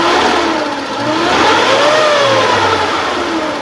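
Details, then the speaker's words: 2003 Suzuki Futura Realvan GRV engine with RPM raised slightly. It climbs and falls smoothly through the revs with no stumbling, misfiring or roughness, which is normal and healthy. "Nah, ini ceritanya khas Futura masih bagus. Mesinnya halus, normal, tidak berebet, tidak pincang juga."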